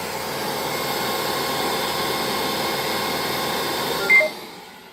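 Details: Neato D85 robot vacuum leaving its cradle but never starting to clean, error 3000: steady motor whir for about four seconds, then one short beep and the motor winds down; the robot quits before cleaning.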